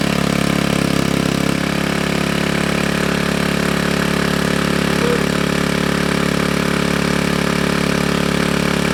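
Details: GY6 engine with a 171cc big bore kit in a Honda Ruckus, freshly rebuilt and burning off assembly lube, after the stator-to-CDI wiring fix: a steady, even putter with no knocks or misses. A healthy, normal idle.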